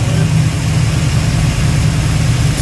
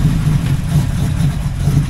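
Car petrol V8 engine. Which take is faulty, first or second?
second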